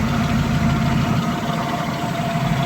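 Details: 1974 Buick Century Luxus with 64,000 miles, original Buick 350 with a 2-barrel carburetor and non-original exhaust. A deep, steady V8 burble at idle with an even beat. Normal idle.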